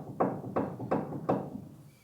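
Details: Ford Ranger 4-cylinder pickup with a shake above 85 mph; front wheel rocked top to bottom to check ball joints and tie rods gives four dull clunks about every third of a second, showing front-end play; cause suspected, not confirmed.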